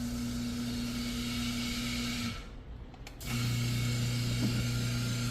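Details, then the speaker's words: Chamberlain LiftMaster Pro 1/3 hp garage door opener, after being jammed closed (trolley stuck, chain sagging), unclamped from the door: even motor hum, brief pause, then smooth lower-pitch run the other way; motor turns freely both directions, just needed resetting. "okay motor's turning freely huh yeah both directions so I think it just needed to come off and get all reset again"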